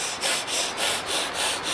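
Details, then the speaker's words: 1983 Evinrude 25 hp outboard with replacement mag plate fitted, turned over without firing: even rhythmic hissing whooshes about four a second as the reed valves breathe in and out cleanly. "Well, I tell you what, you can hear the great set of reed valves"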